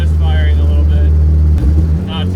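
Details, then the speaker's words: Fully built Honda Civic LS/VTEC four-cylinder with Precision 5858 turbo, driven untuned and very rich (AFR 9–11:1) after a valve adjustment; deep drone breaking up with an uneven stumble, sounding like a misfire, suspected not running on all four. "got to love the sound of that 5858 baby breaking up a little bit just trying to make sure that we got power and all four cylinders and it sounds good and feels good so far I think we're in the money kind of sounds like it's misfiring"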